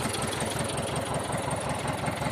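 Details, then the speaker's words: T-25 tractor diesel after repair (new brake drums, cable throttle, new final-drive gaskets and seals): low, steady idle chug with even firing and no knocks or clatter; running normally. "Сложив, все, поскручував. Работає наче нормально, завели."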